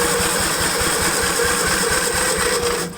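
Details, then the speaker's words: 1954 Gravely model LI tractor with a magneto ignition and no fuel flow from a clogged gas tank outlet: quick, even low chuffing cranking for three seconds without firing. Owner suspects spark and that the magneto points need cleaning. "it has to be a matter of spark i tried my spark test there again"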